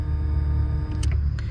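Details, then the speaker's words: Twin-turbo Mustang Cobra with ethanol-rated in-tank fuel pumps, each with its own relay and fuse, pump one switched on via the harness at key-on: steady low hum with faint fixed tones; this pump runs normally, while pump three is dead. "pump one I know y'all can hear it but that's a pump turning on okay pump - that's a pump right there"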